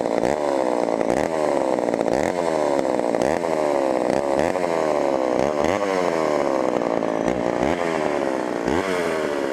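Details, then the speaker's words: Auction-bought Homelite Super XL chainsaw first start on secondhand non-ethanol boat fuel: revs rise and sag in repeated surges, never settling at the bottom; lean low end, needs carb adjustment or diaphragm to soften. "hmm definitely lien on the bottom and either gonna have to adjust that or maybe just let the carburetor diaphragm kind of soften up here"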